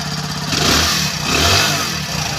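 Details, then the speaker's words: Hero Splendor Plus 2019 after half-engine repair for piston noise, with new clutch plates: two quick throttle blips rise and fall smoothly with no slap or tapping; engine sounds new and healthy. "एकदम bike में है जो new जैसा sound increase हो रहा है"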